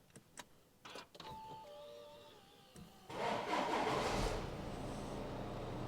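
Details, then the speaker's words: Wrecked 2015–2018 Audi A6 C7.5 bought as non-runner, first start after replacing the pyro fuse, codes not cleared, radiators suspected damaged with apparently no coolant: short crank, catches first try, steady even idle, no knocks. "and we've got a runner obviously I can't have this on for too long as you know I suspect the radiators have been damaged cuz it doesn't look like there's any fluid in there so far she sounds good happy days"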